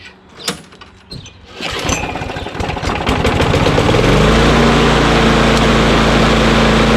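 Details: Small engine whose RPM ran high because of a sticking throttle lever, after lubricating the lever so it returns: a few pull attempts, then it catches and settles into a steady, even drone without stumbling; runs cleanly.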